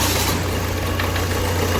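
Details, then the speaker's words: Ford Figo diesel with blinking check engine light and code P0203 injector circuit error: lumpy, uneven idle under a steady low rumble as a cylinder misfires; MAP and air mass sensor faults also stored. "गाड़ी इस गाड़ी में problem की ये गाड़ी engine इसका miss कर रहा है एक नंबर इसका सिलेंडर मिस कर रहा है"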